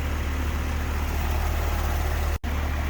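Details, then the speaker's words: New replacement compressor on an R-410A AC system after a leaking liquid line valve was also replaced: smooth constant hum without knocking or short-cycling; low side 124, high side 262, superheat 1.9, subcooling about 18; compressor pumping normally. "New compressor's working and pumping like it should."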